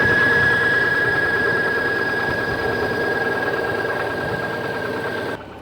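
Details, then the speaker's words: 1998 Subaru Legacy after landing in a marsh, hydro-locked then restarted, P0505 idle air control code: lumpy, uneven idle with high whistle, stumbling about four beats a second, running very rich with raw-fuel smoke; water-damaged ECU causing misfire. "it sounds like it's got a misfire of some kind okay uh same same code that checked the idle air control getting a lot of smoke out of the tailpipe yeah it's raw fuel for sure"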